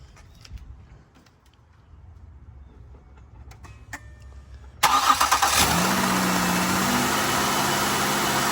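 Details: 2008 Ford Escape V6 after replacing a seized serpentine belt tensioner: short crank, catches fast and settles into a steady, even idle with no belt squeal or chirp; normal start and idle.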